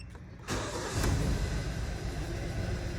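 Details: 2015 Hyundai Sonata 2.4, code P0303, codes cleared and engine restarted: it catches and settles into an uneven, lumpy idle with a recurring stumble as cylinder 3 misfires; pending code returns.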